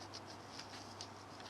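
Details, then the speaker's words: Fiat Panda 4x4 bearing, hand-spun with old grease still inside: faint dry rasping and scattered ticks, gritty rather than smooth. The grease is contaminated and should clean out with penetrating fluid before repacking. "gritty and gry that is but it'll all come out once it's been cleaned"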